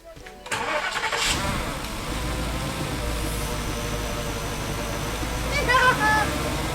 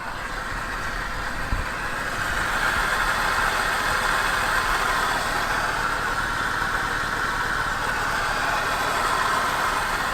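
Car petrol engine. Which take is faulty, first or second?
second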